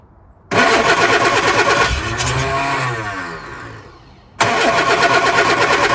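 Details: Lotus Elan cold start after a week unused, on a damp morning, using choke and easy start: steady cranking at about three turns a second, briefly catching then dying. Owner suspects fuel bleeding back from the lines and is considering an electric fuel pump; no start.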